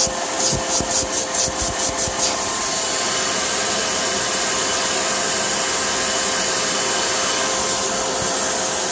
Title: 2004 BMW X3 3.0i M54 air leak/hissing sound